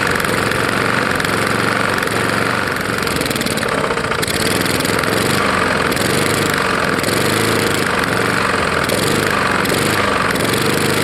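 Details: Roadside-found Lawn-Boy mower, 149 cc non-OHV engine, running rough and loud: irregular knocking under the exhaust roar; owner suspects a bad lower end or piston hitting the head from ingested dirt and grass; unconfirmed.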